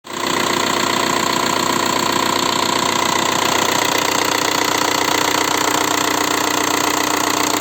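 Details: VW 1.9 TDI (ALH/AGR/ASV/AHF) diesel after oil change, oil changed only every 30,000 km: idles with a hard, even clatter about 200 a minute; worn hydraulic lifters and piston slap. Knock nearly gone after new lifters; rings likely burnt.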